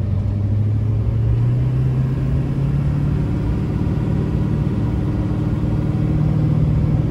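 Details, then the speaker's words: 2006 Chevrolet Silverado 2500HD 4x4 with a 6.6 LBZ Duramax diesel and Allison six-speed, 91k miles, fully serviced, accelerating uphill: the deep pull rises and drops cleanly through each shift with no flare, clunk, hesitation or slip. Healthy drivetrain. "we'll head up the hill you can hear the lbz run as well as the allison six speed run through the gears here how it doesn't shift hard hesitate or slip at all"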